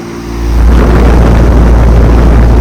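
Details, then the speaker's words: Large commercial AC unit at a sports complex, likely 2023 and about 5-ton: heavy deep drone builds within half a second and holds loud and steady, cabinet shaking; normal scroll compressor operation. "Yeah, it's got a big scroll compressor."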